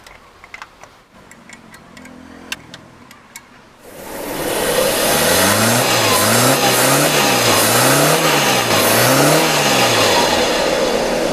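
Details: 2008 Suzuki Alto small petrol engine starts then runs unevenly with a rough, lumpy beat; misfire with cylinder number one dead despite plug checked.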